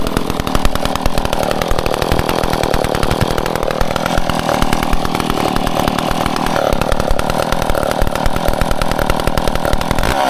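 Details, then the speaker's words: Old McCulloch Pro Mac 10-10 two-stroke chainsaw on 40:1 mix, first test run after full teardown and rebuild: crisp, even buzz at steady fast firing rhythm without stumbles or misses; normal running. "There you have it. A fresh old saw that runs. I'm so stoked."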